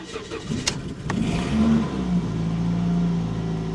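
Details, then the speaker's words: 2007 Toyota Yaris, 104,000 miles, unused about 4 years, started on a jump pack: cranks and catches, then rough puffing idle with a raspy edge up front; exhaust leak. "as an exhaust Lake for sure but it did start up"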